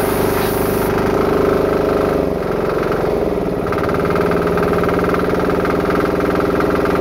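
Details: Diesel-powered air compressor after eliminating a check valve and fixing a leak chugs at a steady, even beat with a constant hum, no knocking or hissing: normal running.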